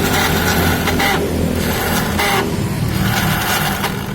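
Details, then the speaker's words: Soul GT scooter electric starter, ignition on: repeated high whirring bursts as the starter spins freely without turning the engine over; mechanic suspects worn starter clutch rollers not catching. "Ini pelornya itu nggak bisa dengerin sendiri ya, pelornya itu nggak nyangkut. Dia kayaknya udah aus."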